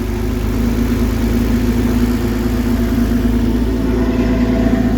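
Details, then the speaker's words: Newly installed 3.5 L 2GR-FE V6 in a Toyota MR2 F355 widebody replica, exhaust just hooked up, first cold start, kept at low rpm. Smooth, even idle with a steady low burble, no ticks, knocks or stumbles; healthy cold idle. "the new 3.5 liter 2gr Fe V6 is installed and the exhaust is all hooked up so let's give it a cold start and see what it sounds like"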